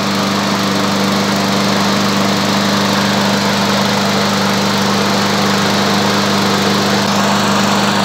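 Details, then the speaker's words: Walk-behind lawn mower engine warming up for five minutes before an oil change: constant high, buzzy drone at steady speed, smooth and even with no misfires or rattles; running normally. "Teraz si motor naštartujeme, necháme ho bežať 5 minút, aby sa olej zahrial."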